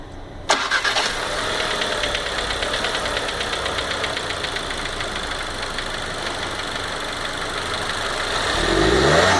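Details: 2015 VW Golf Variant 1.4 TSI with 3,000 km, engine after start-up: quick, light ticking about three per second over the idle, like a tapping lifter; owner suspects lubrication problem, cause undiagnosed.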